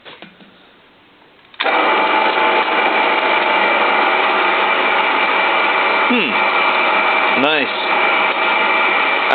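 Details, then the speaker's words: 1963 drill press, first run after more than 25 years unused, belt having been rusted into the pulleys: a steady, even motor hum with no knocking or grinding, running forward and in reverse; normal healthy motor. "I see even spins in direct way. Oh, backward. Nice. So, first run after 25 years, even more."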